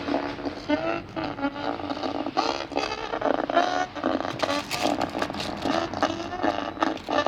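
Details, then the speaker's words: Telstar LED-2499 24-inch LED TV: picture works but sound is harsh and rough with a constant gritty buzz over voices and music; the audio amplifier IC on the 3-in-1 board was found burst. "كما تسمعون الصورة موجودة، ولكن الصوت فيه مشكل."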